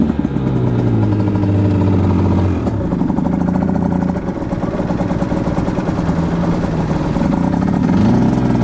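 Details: 2010 Aprilia RS 125 two-stroke with a VHSB34LD carb at 162 main, K57 needle top clip, B36 pilot and 2.5 turns air screw: revs rise and fall with a stuttering note around 6,000–7,000 RPM. The midrange is suspected too rich from the stock needle; a K21 needle is the fix.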